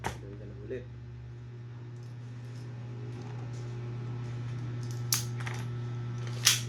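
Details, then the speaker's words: Pit Viper gas blowback pistol test-firing after reassembly with a new O-ring fixing a gas leak and a repaired broken nozzle; outer barrel still noisy, not yet fixed. Two sharp, snappy cracks about 1.5 s apart over low room hum; cycling and firing properly. "Yan guys, na-reassemble na natin. Kita nyo naman, smooth na smooth."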